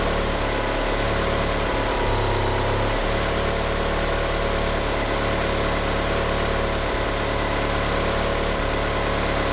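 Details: Car fitted with 850cc injectors, at idle: an uneven, lumpy idle with a wavering low note and a faint chirp from the slipping power steering pump belt. The car won't rev up. Rough idle.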